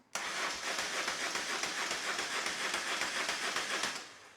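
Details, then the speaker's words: BMW R1150R that sat 5 years with no crank, after fitting a new battery, gas tank disconnected: brisk, even cranking whir about three and a half pulses a second with no dragging; normal starter cranking. "So new battery, the bike now cranks, and it sounds very healthy."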